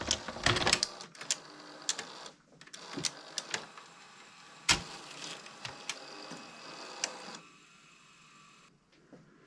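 Light mechanical clicks and a soft motor whir as the cassette threads, no grinding or slipping; loading sounds healthy.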